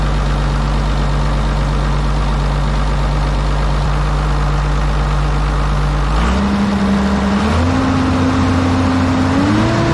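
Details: Kobelco 250 excavator diesel, just after a replacement muffler was installed over the failed one: a deep steady idle, then the pitch steps up twice as revs rise, with no rattle or exhaust puffing; sounds healthy.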